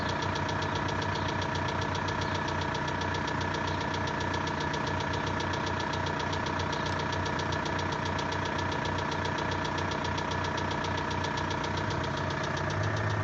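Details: VW 1.9 TDI 66 kW diesel at cold idle: steady even knock two to three times a second, loud and consistent, from pulley side near valve cover; worsening for two years, louder when colder; lifters and injectors replaced without effect.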